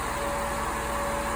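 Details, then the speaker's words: 1999 Jeep Cherokee XJ with newly installed triple electric fan shroud, warm at operating temperature after 5–10 minutes running, gauge just under 210°F: two fans running with steady even whoosh and faint hum, no rubbing or ticking, normal cooling fan operation. "but you can hear the fans going in there it's up to operating temperature so both of these two fans are going that one over there is not yet but uh yeah she's been running for 5 10 minutes and fans just kicked on"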